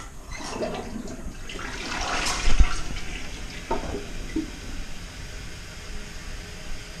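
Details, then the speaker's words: Test flush of a toilet in a house after new water lines and a gas water heater were installed: a strong, clean rush of water falls smoothly to a quiet trickle with no gurgling. Drains properly, no leaks yet. "no leaks yet and it seemed like it all went downhill like it was supposed to do"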